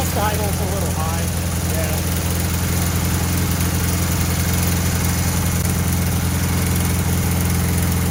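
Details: 1968 VW Bus air-cooled engine, first start after years of storage and an engine fire, new wiring, plugs, points and condenser, gummy carburetor linkage: even steady low chug at fast idle, no misses or knocks; normal idle.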